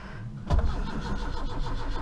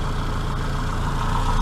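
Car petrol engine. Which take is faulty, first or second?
first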